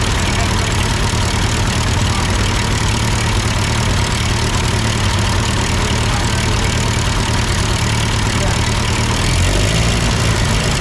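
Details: Ford 8N tractor idling after an amateur adjustment of the carburetor: deep, even low chug holding steady without surging or dying; sounds good, normal idle.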